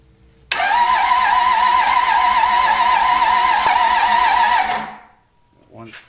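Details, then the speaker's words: Cummins diesel from a junkyard, old raced-out engine with head studs, being revived for a square body truck: starter spins it steadily about four seconds with no firing; air in the fuel system, oil pressure not expected until it starts. "there's so much air in that but we got air in it keep an eye on oil pressure gauge see if it comes up probably not going to come up till it"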